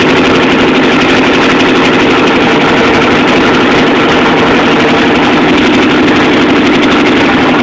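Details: Chevy 350 V8 in a T-bucket, first start after rebuild: loud, steady, even idle with no misses, knocks or ticks over the rumble; normal healthy idle.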